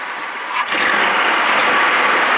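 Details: Van after changing the plug: engine catches after a short crank and settles into a fairly steady idle; no clear stumble heard, so the misfire may be gone, though warning light may still be on.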